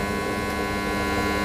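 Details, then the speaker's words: Water pump motor starter on a live power supply, before the fix: loud, steady electrical buzz while the motor runs; the starter is giving noise. "आपला हा starter इथे थोडा आवाज देत आहे।"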